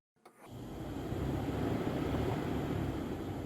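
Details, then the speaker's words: C5 Corvette radiator cooling fans commanded on via scan tool fan relays, heard from the front: spins up to a steady, even low whoosh with no rattle or scrape; both fans working. "Then fan relays 2 and 3. And the highest speed is fan relays 1, 2, and 3. So now we know 100% for sure that both of our fans are working."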